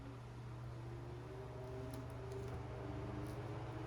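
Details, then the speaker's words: Old Westinghouse A010-1 desk fan rescued from the roadside, cleaned and fitted with a replacement cord, test-run at full power with the blade loosely fitted; steady low motor hum and soft airy rush, no rattle or scrape, good air volume, runs normally. "That's a good amount of air. Looks like at full power, it's pretty good air volume. All right, so it works."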